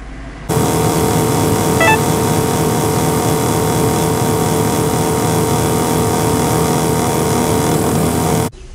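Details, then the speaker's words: Honda Vamos blower fan motor, heard under the driver-side dash with the fan switched on: loud, rough roar with a fluttering rattle throughout, traced to the blower motor, which will be replaced. "はいでブロアモーターからかなりの音がしてますのであのブラムた交換という風にねあの修理を進めていきたいとおもいます"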